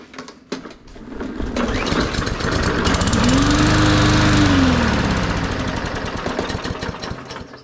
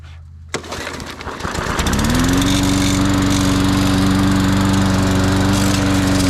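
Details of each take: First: Cheapest Walmart push mower that sat about 1.5 years with odd fuel, primed and started; it fires, climbs to a fast popping run for a few seconds, then slows and dies with lots of blue smoke; stall cause unknown. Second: Cheap Walmart push mower mowing a track; catches and climbs to a steady, even drone that holds speed while cutting, no misses or surging; healthy under load, owner impressed.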